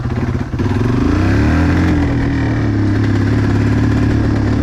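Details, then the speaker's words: Yamaha 225XT dirt bike, warmed up, ridden on the street. Revs climb briefly, then flatten into a strained drone and won't hold full throttle. The bike is bogging from a dirty carburetor. "You know, I'll give it some gas and it'll do all right, but hear that? How it kind of, when I give it full throttle, it just doesn't want to stay full throttle."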